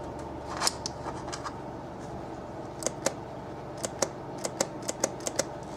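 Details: 1992 OMC King Cobra 454 boat, replacement fuel selection valve bench-tested off a jump pack via remote button: sharp crisp clicks in quick bursts as power is applied; solenoid working, unlike the old seized valve.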